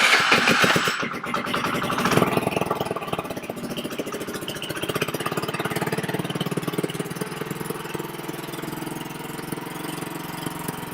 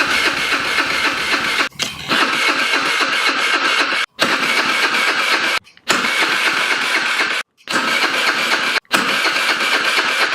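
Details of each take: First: VIP 50cc Future Champion Chinese scooter after repairs and full reassembly: engine fires, revs briefly, then settles into a steady even buzzing idle with no knocks or rattles; running fine. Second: VIP 50cc Future Champion Chinese scooter, battery needing charge: electric starter whirs in several bursts of a few seconds with short pauses, engine never catches; cranks without starting, suspects the carburetor, possibly old fuel.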